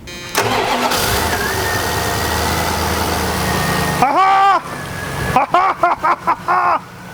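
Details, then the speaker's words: Non-running 1990 Dodge Ramcharger, fuel return bypassed from throttle body into fuel jug: brief crank, catches and settles into steady even idle without stumbling or misfire; normal start and idle. "yes d son is becoming a car wizard he is getting to that level he helped me figure this out it runs perfect"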